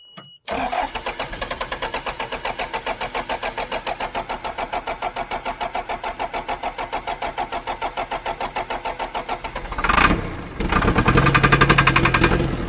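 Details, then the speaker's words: John Deere 310G backhoe after a new computer and tightening a loose connection: long steady cranking at nearly four compressions a second, white smoke, a louder surge that never settles into running; crank no-start with code F428 throttle sensor calibration. "Man, that sounds like it wants to. Wow. Hey. Hey. Come on, baby. Come on, baby. Stay running."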